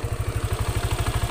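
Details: Yamaha NMAX scooter, belt-drive (CVT) side: fast, even thumping at idle, about fourteen knocks a second, louder when the headlight is switched on, quiet without that load; broken CVT pulley slider rattling.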